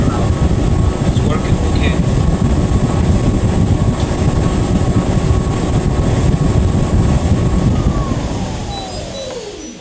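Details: Whirlpool ventless dryer, model YWHD3090GW, test run after replacing the motor for a customer's noise complaint: even low rumble with a steady whir, no grinding or rattling, then the tone sweeps down as it spins off; running quietly.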